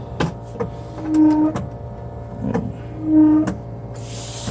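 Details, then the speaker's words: 1965 Ford Mustang wiper motor tested during dash reassembly, run on high then low speed: even motor hum with a soft sweep about every two seconds, then parks and stops cleanly; wipers working, motor good, normal operation. "looks like i got the wipers working motor's good high speed"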